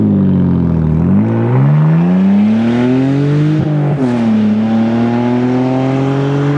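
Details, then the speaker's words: BMW E46 325i Sport Wagon, straight-piped from the catback with the resonator removed: loud raw rasp rising and falling with revs, unrefined like a lost muffler or exhaust leak. Owner felt torque loss until the resonator was refitted. "in person it just doesn't sound right it sounds like you know a commuter car that lost a muffler or has a severe exhaust leak it just is not good"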